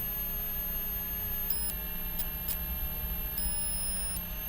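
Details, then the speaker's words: Homemade transistor 12V DC to 220V AC inverter built from an old UPS transformer, powered at about 13.3 V and running unloaded: low steady hum with faint whistling, the normal sound of the switching circuit. "sì, questa è la parte di commutazione, anche questo circuito di commutazione è acceso a causa della quale si sente un piccolo ronzio"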